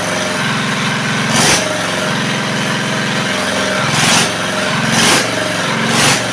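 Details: R180 single-cylinder diesel at idle after the old crankshaft was replaced; the oil pressure indicator now reads like a normal diesel, unlike before. Even, steady chugging beat with a periodic puff and no knocks or rattles, so it idles normally.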